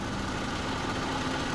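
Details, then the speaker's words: 2022 Honda Civic with a misfire complaint, reportedly dropping to 20 mph after running a while, tested in drive on brake and throttle: steady, even idle with no misses and one brief thump. The check-engine light is off and no fault occurs. "Ahí está jalando bien no está prendiendo la luno no está prendida pero ya no falló"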